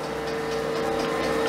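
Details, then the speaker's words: Homemade Van de Graaff generator with latex exercise belt and PVC/PLA rollers, reassembled and running: steady motor hum with light quick ticking each time the belt joint hits the upper roller/brush; owner plans to fix the splice. "so you can stay with the machine back together it's working again and you can hear the ticking off the belts hitting that upper cone"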